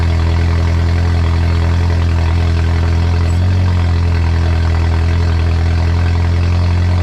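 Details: Honda EF sedan with K20 engine swap, first starts, oil just filled, turbo not yet installed: loud raw unmuffled idle with deep steady drone and even beat, no knocks or misses; engine running fine.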